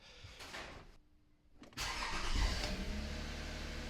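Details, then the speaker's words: Toyota after battery warning light repair, final start: short crank, engine catches cleanly into steady even idle, no odd noises; battery light goes out immediately and alternator now charging the battery. "So, battery light gone off straight [Music] away. And we now have good alternator charge going into the battery."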